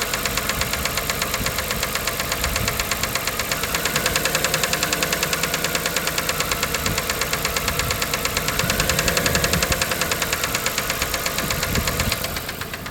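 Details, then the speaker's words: 1997 Dodge Caravan LE idling after a rod and main bearing replacement, running on five cylinders; fast light tapping about three per second from the top end, which the owner says wasn't there before. Sounds like a ticking lifter. "that sounds like that sounds like top end now look good does now I swear it didn't sound like that before though"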